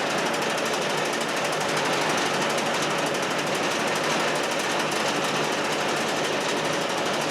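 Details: Chinese walk-behind track dumper bought broken at auction. Its small single-cylinder engine gives a fast, even rattling chatter held steady in neutral: running normally.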